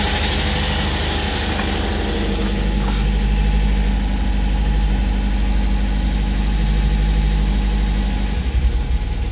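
Cold engine idles at a low, steady beat with a light tapping about three times a second riding over it; cause not yet known.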